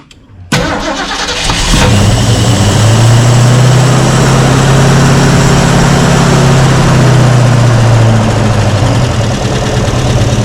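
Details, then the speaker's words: Mustang V8 with Holley Sniper 2 fuel injection, restarted after fixing a fuel leak; loud steady idle, earlier lifter tick pretty much gone, maybe a faint trace remaining. Slight lifter tick at idle. "Yeah, I think we had a lift kick. It sounds like it's pretty much gone. Maybe a little bit. A little bit of lifter kick, but we fixed that fuel leak."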